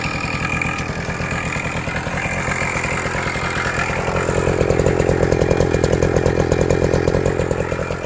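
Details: Suzuki Max 100 two-stroke, cold start after about 5 years parked, only carburetor cleaned and wiring reconnected: rapid buzzy idle about four beats a second, picking up slightly, uneven rattly edge; engine not 100% okay, abnormal sounds, cause unknown.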